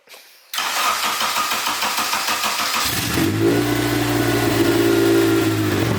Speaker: sounds good sounds like a tractor before it still sounds a little just open but it's nice the engine sounds you don't get Ticky Tucky in the head